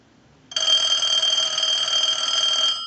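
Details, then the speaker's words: Bell South clear Trimline telephone after repair, two base bulbs removed to lighten ring load, ring cycle sent from a line analyzer: one clean electronic ring burst about two seconds, steady high trill without dropouts or buzz; ringer working normally. "so we want it to ring quite a few times and we're going to go ahead and start that now with the analyzer"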